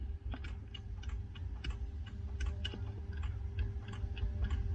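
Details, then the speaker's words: 1993 LSE EAS air suspension: sharp dry relay clicks inside the ECU in irregular bursts over low hum with no motor response; same fault as before after a supposedly sticky relay was replaced, cause unconfirmed. "rears are clicking inside the ecu but it's doing nothing same faults last time they said the relay was sticky they replaced it i can actually hear the relay clicking"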